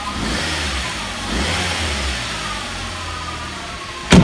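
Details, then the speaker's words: Mk3 Ford Mondeo engine revving with a faint steady whine over it, located by screwdriver-to-ear on the power steering side; not the alternator or the new water pump; air conditioning compressor judged worn, to be replaced. "etty sure that the air conditioning pump's buggered so what i'm going to do i'm going to replace the air conditioning pump"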